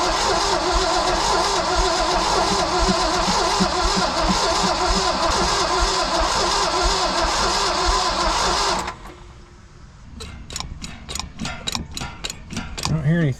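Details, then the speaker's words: International V345 engine in a dump truck sat about 22 years, 13,000 miles shown: strong, even cranking for nearly nine seconds but never fires; possible dead cylinder suspected, fuel line found dry, fuel pump may not be working. "bump it oh it's a pretty good sound and crank sounds like it may have a a dead hole on one cylinder"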